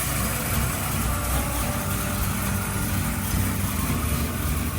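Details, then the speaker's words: Freshly started 71k-original-mile 1968 Chevy Biscayne with a 388ci small-block V8, after a header leak fix and vacuum advance reconnection: deep, steady, even V8 idle with no exhaust ticking or puffing. Normal idle. "Boy, that sounds so much better without a header leak. The small block in the Biscayne fired right up and idled without any problems."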